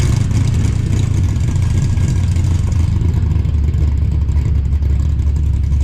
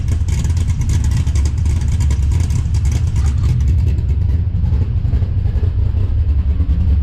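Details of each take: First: 5.3 LS-swapped S15 minitruck just fitted with Summit Pro LS 8704 race camshaft, tune set for 912 rpm desired idle: deep lopey, choppy idle with a faint clunk of uncertain source underneath; otherwise sounds good. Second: 5.3 LS-swapped S15 minitruck, first start after installing a Summit Pro LS 8704 race camshaft with double valve springs: deep, loud, loping idle with a choppy uneven beat and a little clunk, but it sounds good; choppy performance cam idle.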